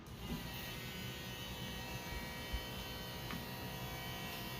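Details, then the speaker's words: Convertible top hydraulic pump on 2006 Lincoln Mark LT or 1999 SLK230, trim off, after clearing a jam: smooth steady electric hum, no gurgle or straining; earlier airy sound gone, pump operating normally. "sounds fine to me"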